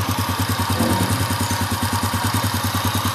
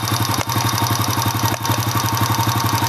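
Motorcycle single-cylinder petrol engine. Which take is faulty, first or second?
second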